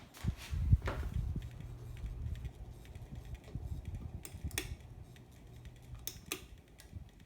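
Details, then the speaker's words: 52-inch Spirit of Saturn knock-off ceiling fan on high speed: low steady drone with scattered irregular light rattles and ticks; vibration that the owner suspects comes from one of the four bolts being missing, not confirmed. "Also, I think what could be making it vibrate is there's like the bolts. There's 3 of them. The other one's missing."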